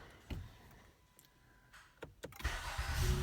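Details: 2015 Honda Accord V6 after starter reinstalled to fix a grinding zing at the flywheel, repeat start: a few light clicks, brief clean crank, engine catches and settles, no grinding; starter engages normally.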